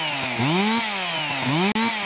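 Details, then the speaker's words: Stihl MS 361 chainsaw, about a year old, after replacing the faulty ignition coil whose rev limiter capped it near 5,000 rpm: climbs cleanly to a high scream several times and holds without sagging; normal full revs. "So, I can get full speed now out of it. Not winding down like we did in the previous uh video."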